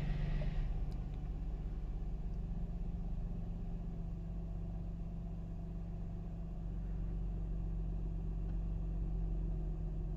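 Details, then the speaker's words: Mercedes SLK 350 R171 petrol engine after misfire repair (faulty ignition coil replaced), during the warm-up cycle: quiet, even low hum with no stumbles over ten seconds. Seat vibration felt before the repair is gone. Smooth normal idle. "that's a lot better it feels smooth as before i could feel it vibrating uh in my seat"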